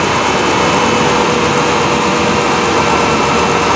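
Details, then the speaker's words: 1991 Ford F150 4.9L (300 CID) inline-six, idling after serpentine belt replacement, running without a fan shroud. Steady, even idle with a smooth hum and no squeal or chirp from the belt drive. Normal idle; the earlier belt chirp is gone. "that's a good sign no more chirping"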